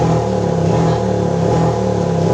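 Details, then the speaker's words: Honda PCX 150, no DTC stored: engine at full throttle near 10,000 rpm stutters unevenly and loses power; it recovers when the throttle is eased off; misfire at high rpm. "Kita lepas gas sedikit dia sembuh. Jadi di RPM 10.000 dia ngorok."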